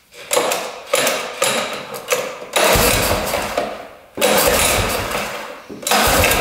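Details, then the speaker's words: 1960s Ski Daddler snowmobile, spark and compression, gas dumped into carburetor: rough two-stroke bursts catch, run a second or so and sag, then fire again; starts and runs briefly, but fuel didn't seem pumped from the tank. "running [Music] didn't look like it was pumping any gas but she runs that was awesome"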